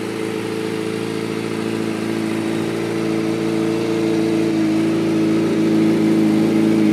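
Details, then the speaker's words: 2005 Kawasaki ZX-6R 636cc, 7,219 miles, Muzzy full exhaust, Power Commander, nearly warmed up after cold start, in neutral: smooth even buzz climbing cleanly in pitch as revs rise, no rattles or misses; running really smooth, no issues. "see it's running really smooth no issues no issues whatsoever with this bike"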